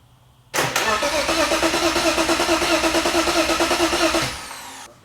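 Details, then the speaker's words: BMW engine with boost build and EWS delete, first start attempt after assembly, oil pressure confirmed: even starter cranking about three compressions a second, no knock, never catches; crank no start with no spark because no crank sensor is fitted. "Here we go, boys. I don't think it's starting very clear. I don't think it has it. Maybe it doesn't have a spark."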